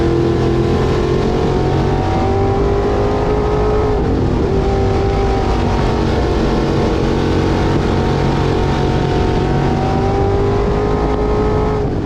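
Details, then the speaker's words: Street stock race car with 602 crate V8 at high revs under race load, temperatures fine: uneven pitch with faint irregular pops; losing power and backfiring, cause not identified. "Yeah, temperatures are fine, but it just started losing power and started backfiring again. You can probably hear it in the video."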